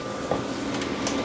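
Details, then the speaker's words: Old free retro desktop PC at first power-on: fans running full blast from the start, steady loud rushing roar with faint whine; owner thinks it needs a good cleaning or bearings are bad. "B are running full blast and that can only mean that it needs a good cleaning wow bearings are bad or something"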